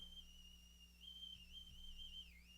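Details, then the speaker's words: Sony Walkman WM-F2015 from the 1990s, cassette drive being tested with a 3 kHz test tone: the whistle wavers up and down, then sags lower as the motor is slowed; unsteady tape speed (wow). "let me may have loaded it backwards let's see ah there we go there's the tone hearing a little bit of fluctuation"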